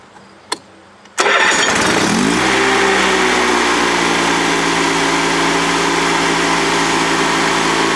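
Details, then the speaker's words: Honda GX360K1 engine in a Honda 3813 lawn tractor, sat a year, running again after fuel pump work: catches within a second of cranking and settles into a smooth, even idle with no misses or knocks; healthy start and idle. "These things are so closely related to the Honda car engines, it's no surprise that it sounds like one. Alright, so that's the sound of the GX360K1 running"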